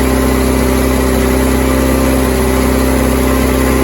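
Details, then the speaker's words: 1988 VW Polo MK2 Breadvan after refitting the cleaned carburettor, running after carb spray and with the fuel filter now filling, still on choke: steady even idle at a noticeably raised speed, revving fast, possibly because of the choke. "It's just revving a bit fast at the moment, but that could be because the choke isn'"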